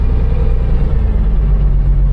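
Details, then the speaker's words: Mercedes gullwing, first drive under its own power in about 10 years: deep even rumble under way, no misses, stumbles or knocks; pretty smooth, clutch and brakes okay. Smooth running while driving. "What do you think, Otto? He fully approves. That's pretty smooth."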